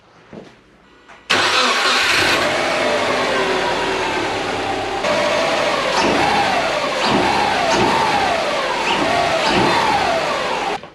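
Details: Subaru SG Forester XT started right after oil change and fitting older intake: catches at once, flares, then settles to smooth steady idle without knocks, ticks or rattles; normal start.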